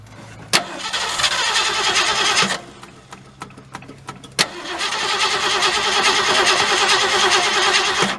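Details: 1967 Ford Galaxie 500 with 289 V8 and two-barrel carburetor, first start attempt after 25 years: two long bursts of fast, even starter cranking that never catch; no fuel reaching the engine, fuel pump not working.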